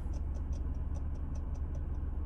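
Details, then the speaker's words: New Faria GPS speedometer gauge in Triumph 1700 skiff console, after acquiring GPS signal, engine running: light crisp ticks about four a second as the needle jumps in small increments; normal for this gauge. "just it definitely makes noise quite a bit noise actually and and jumps around in little increments"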